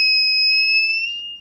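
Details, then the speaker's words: Arduino Nano with MQ-5 propane sensor module, lighter gas as the test source: steady high-pitched electronic buzz holds over a second then fades; the alarm speaker gets louder closer to the leak source. Gas detector alarm sounding. "a bonus with this way too is the speaker actually gets louder the closer you get to the source of the leak"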